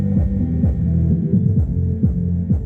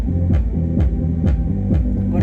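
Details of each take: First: Reconditioned loudspeaker playing music with its over-long lead wire held down away from the cone: deep bass notes come through clean and round with no rattle or buzz. Normal playback; the fix is to shorten the lead wire. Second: Reconditioned loudspeaker playing music with its over-long lead wire released: deep bass notes carry a buzzy rattle on each hit. The loose lead wire is slapping the cone; the fix is to desolder it, cut it shorter and resolder.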